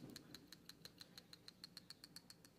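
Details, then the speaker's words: PCV valve removed and shaken by hand: crisp metallic clicks about six a second show the plunger moves freely, not stuck, though this doesn't prove it works properly. "and you can hear the clicking noise so that metal piece is actually free inside which is a good sign"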